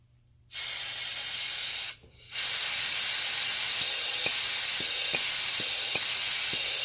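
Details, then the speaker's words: 2010 Honda Pilot EVAP purge solenoid, used spare, bench-tested with air plumbed through and power applied: even, steady hiss with faint occasional clicks. It flows consistently, unlike the original engine-bay solenoid, which stopped flowing when powered and will be replaced. "As you can see, this solenoid is much more consistent compared to the original one."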